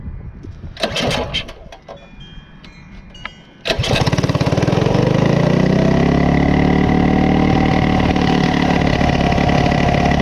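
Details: Coleman CT200U-A minibike with a replacement Go Power Sports throttle assembly on the original cable, very hard to start after adjustments: rattling, then it catches and holds a fast, steady buzz high enough to engage the clutch; high idle, cause suspected, not confirmed.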